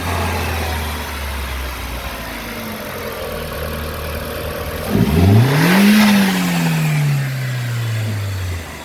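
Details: 2000 Audi TT after replacing the blow-off valve with a new Bosch unit. Steady idle, then one sharp rev that rises and falls back smoothly with a rush of air; the engine sounds healthy.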